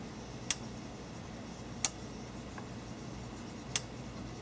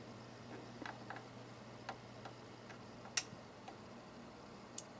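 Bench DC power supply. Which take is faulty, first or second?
first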